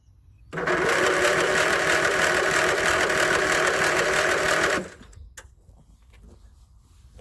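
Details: 1981 Westwood Gazelle W11 ride-on mower out of winter storage, tired engine low on compression, owner suspects blow-by into crankcase: starter churns evenly about three beats a second for four seconds, never fires. Spark plug found fouled.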